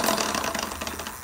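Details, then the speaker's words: Rad Power RadRunner 1 e-bike with Bafang hub motor, started rattling while commuting, no external damage seen: uneven, gritty, scratchy rattling over the motor drone; something loose or gears grinding inside the hub suspected. "So, I mean, yeah, I mean, definitely sounds like a motor thing."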